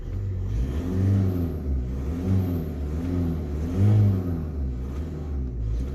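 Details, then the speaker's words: Diesel, automatic, engine already warm, in neutral, with the original air filter before its replacement by a performance filter: three short throttle blips rising and falling cleanly, no knock or rattle; normal revving. "Je vais donner un petit coup d'accélération. Et puis vous allez voir en fin de vidéo la différence de sonorité."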